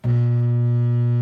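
Loud steady low hum right after switch-on with no rising spin-up: the disposal motor is energized but jammed and cannot turn.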